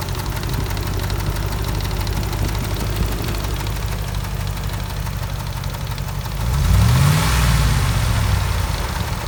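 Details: 2004 Dodge Ram 4.7 V8 with a cylinder 8 misfire since purchase: a fast, uneven tick about four a second over a rough idle, still there through a brief rev. Engine ticking that a shop could not diagnose.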